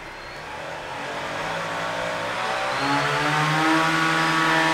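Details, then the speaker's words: Beetleweight combat robot weapon motor test at highest belt tension: spinner winds up slowly with a straining rising tone before levelling off; motor labouring and noticeably warm from the overtight belt, pulleys unworn. "there was a little bit of laboring and the ESC the battery back over here and the motor actually noticeably warm not like hot or dangerous or anything like that"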